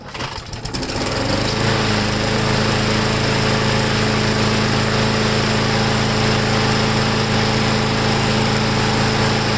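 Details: Briggs & Stratton Quantum engine on a Let's Go lawnmower after carburetor cleaning and air filter backing modification, cold start next morning, primed three times: catches within a second into a strong, steady high-pitched drone, no surging or misses; normal running.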